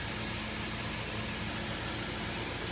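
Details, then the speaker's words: Saturn L200 after fuel pump and fuel filter replacement, heard from under the car. Steady, even idle with no misses or knocks. Normal idle. "There's the old fuel filter. You can hear it's running."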